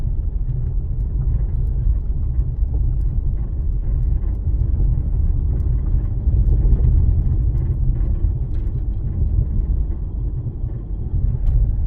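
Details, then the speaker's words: 2007 Toyota RAV4 (no third row) driven slowly over washboard pavement, camera hung off the right: continuous dull rumbling like distant thunder, no sharp rattle; sway bar links and bushings ruled out; worn, leaking front strut thumping. "do you hear that fluttering it almost sounds like thunder in the distance but it's not like a distinctive rattle it's just a like a like a dull thundering type sound"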